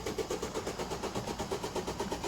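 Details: 2008 Ford Fiesta van, 1.6 diesel, with a nearly flat battery: steady starter cranking at about five even compression pulses a second that never catches. Code P0698, sensor reference voltage low; the fault is internal to the ECU.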